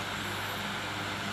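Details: Electric fan after repair for howling and stopping by itself, tested on speeds 1 to 3: a smooth, steady motor hum with an even low drone and airy rush, no howl or squeal; the howl is gone and it runs normally.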